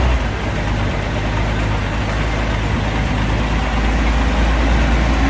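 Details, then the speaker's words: 1950 Chevrolet COE 5400 truck six-cylinder after replacement head (old one cracked), rocker lash set, carburetor rebuild and fuel pump swap: low, even idle with a steady beat, no knocks or misses; running smooth. "It runs pretty smooth. We'll fire it up here shortly and give you another taste of that sweet 6-cylinder running."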